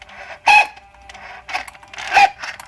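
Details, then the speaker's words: 1994 Mercedes 600SL V12, ignition on and engine off, older-style metal-gear throttle actuators with 29,000 miles being activated. Two short whirring bursts with a steady mid-high tone; normal metal-to-metal throttle actuator gear whine, not a problem. "the noise is that that's their problem they do make this noise from time to time it's because these are older style"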